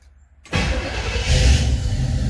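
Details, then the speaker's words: 1966 Pontiac Catalina wagon with Sniper EFI, cold start after cycling fuel: brief crank, fires right up and holds a steady smooth idle with lots of IAC; healthy start despite ongoing IAC issue, owner suspects computer drivers. "well, start it right up. That's always good. So it's got lots of IAC right now."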